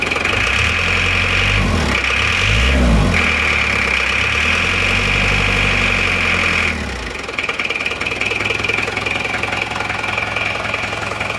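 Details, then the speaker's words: 25 diesel, first start after fitting NPR liners and piston rings: hard, sharp clatter at roughly 214 raps a minute over the idle because the injection pump timing is set too far advanced. The engine is still cold and the timing is to be retarded later. "Timing terlalu maju, tapi sementara gini dulu nggak apa-apa."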